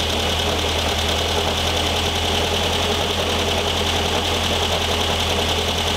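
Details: 1973 VW Thing type 181, sat for years, first runs after revival: loose uneven rapid knocking and rattle, about two or three a second, over the running engine; owner feels something lodged in the cooling fan and plans to remove the belt.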